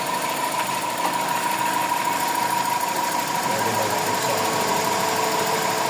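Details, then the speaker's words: Toyota 4A-FE engine with idle issues: thin steady whistle near one kilohertz over idle, stopping when the add-on PCB module is unplugged and returning when reconnected. Whistle from aftermarket electronic module. "Aalisin ko to, Wala na. Pag binalik yan, Mayroon na yan, mayroon na naman yan."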